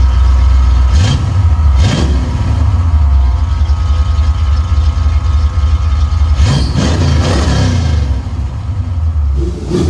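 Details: Cold start of a 1991 Ford Mustang LX 5.0, recently rebuilt and bored to 306, E303 cam, Edelbrock 1406 carb, BBK long-tube headers, H-pipe, Flowmaster Super 40 mufflers: deep lumpy V8 idle with quick clean throttle blips; healthy, though owner says carb needs tuning.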